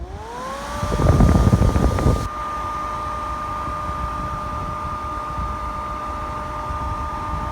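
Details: Pellet stove Ptech closed-frame exhaust blower after repair: steady fan whir, clean even tone, no rattle; loose black case re-crimped firmly to the motor frame, vibration noise fixed.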